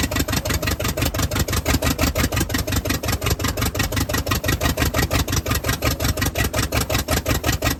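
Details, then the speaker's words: "Party Barge" truck's V8 idling on its own fuel after the fuel system was hooked up, 60 lb oil pressure: deep, lumpy but steady beat with even exhaust thumps, healthy and strong; normal idle. "But she's doing good. Really, really, really good. That'll run, and it sounds freaking beast."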